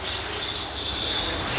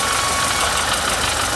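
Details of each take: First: Renault Logan/Sandero not engaging gears, clutch pedal pressed: loud high-pitched squealing whistle over a faint low hum from the clutch release bearing; gears hard to engage. Worn clutch release bearing squeal. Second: Renault Sandero (Logan/Sandero) after clutch and gearbox repair for noise and gears not engaging: steady even idle with the clutch pedal pressed, no bearing whir or grinding; the earlier noise is gone.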